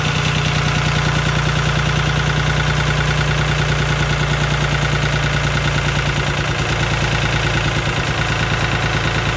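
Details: Lister ST3 three-cylinder air-cooled diesel on an old sewer jetter, first start without using the decompression: even clatter with regular firing pulses and no misses or knocks, a healthy normal idle.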